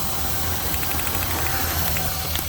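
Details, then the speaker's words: Cheap used Buick, idling with a coil pulled for testing: rough idle with faint irregular ticks and snaps; one cylinder not sparking, owner suspects bad coil or plugs, probably the coil, unconfirmed. "you can tell that coil either that coil is no good or there's plugs no good because like it's probably a coil"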